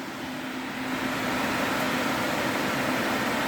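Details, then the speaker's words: DA Integra electric cooling fan on a new 30A relay with factory OEM fan switch, switch cooling after heating: steady airy whoosh with faint low hum, building then even; owner says never blew this strong; normal. "you can see the fan is still sealed oning this thing like I said I don't ever remember this fan blowing this strong before"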